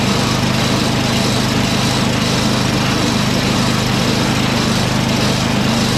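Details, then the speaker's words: Toro 38150 snowblower's 8HP Briggs engine (for swap onto Craftsman 827), electric-started on choke then half choke, transmission stuck in second gear but not engaged; steady, even fast idle with no misses or knocks: engine runs fine, transmission faulty. "Okay, so as you guys saw, it runs just fine, but the transmission is hinky."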